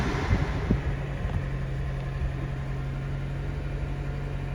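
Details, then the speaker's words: Salvage-auction Silverado 4WD truck, 47,000 miles, airbags deployed: fires after a few quick catches and settles into a smooth, even idle with no misses or knocks; no check engine light, healthy start and idle. "So it starts right up. That's good."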